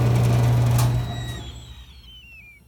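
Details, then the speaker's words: Brake booster on test bench: loud hiss fades steadily over about two seconds as vacuum bleeds away; booster reaches output pressure but leaks vacuum. "You hear the vacuum loss? That's the problem. Now then, would you notice that when the car is operating? Probably not, but I'm not going to tell you that the booster is 100%."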